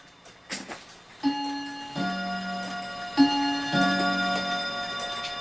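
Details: Dutch Friesian tail wall clock after cleaning and oiling: clear ringing gong gives two spaced, evenly fading strikes at 2:00 over soft ticking; strike train works normally, though the clock stops randomly from a worn bushing.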